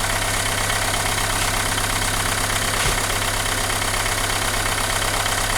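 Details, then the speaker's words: Renault Megane 2 engine: uneven shaking idle with a loose irregular beat over a steady hum. Engine vibrates and lacks power; misfire suspected, cause unconfirmed, cylinder-by-cylinder test follows. "عندنا الموتور هذايا فيه فيبراسيون ويخض وما عندوش تيراج."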